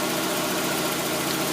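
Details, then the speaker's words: 1992 Mazda Miata after replacing the water thermistor for check engine code 9: smooth, steady idle with no misses, surges or stumbles, rpm gauge holding still; previously the rpm wandered and idle was rough. "I fixed it then I turned it on and it's idling really really good right now"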